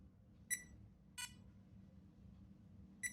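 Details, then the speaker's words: Vintage late-1970s Grandstand Match of the Day 2000 console powered from the jack to the board: three short clean electronic beeps over a quiet hum; it powers up, normal. "Oh, that sounds good. So it's obviously doing something."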